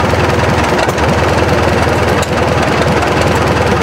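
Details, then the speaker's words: 1943 military generator set with 79 hours, run at idle: fast, even, unmuffled popping beat about 200 a minute, steady and unbroken; idles cleanly, healthy. "I'm going to start it up it's going to be at idle um War I yes it is 1943 yep yep so it's again it's at idle it should start pretty readily"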